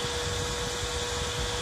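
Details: 4-wire PWM computer fan cooling a controller at 24 °C, spinning faster after the temperature setpoint is lowered (yellow wire unconnected): steady rushing air, constant mid-pitched hum, no ticks or rubbing; running normally.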